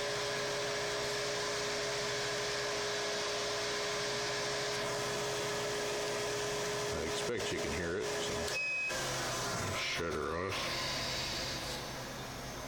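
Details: Even, steady hum with a constant tone from a gasifier blower fan run through an inverter with a homemade speed control as soft start; it runs smoothly and then cuts out cleanly when switched off.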